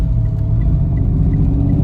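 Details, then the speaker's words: Mitsubishi Mirage on test drive: heavy, deep rumble with a rough grinding edge, like pounding underneath, worsening with lights switched on; car still accelerates, mechanic believes gears underneath are crushed, suspected transmission damage. "Aray ko! Durog! Bumibilis naman siya pero kaalam mo na durog ang gear sa ilalim."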